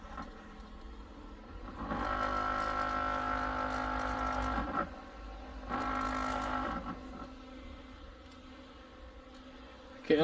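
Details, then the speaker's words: LitezAll portable rechargeable mini fan on speed 1, sitting on a table: small fan whirring with a buzzy rattle that swells for a few seconds at a time; vibrates a lot, quieter when off the table. "It does make a weird noise if you can hear that. Okay, yeah, it does make a lot of noise."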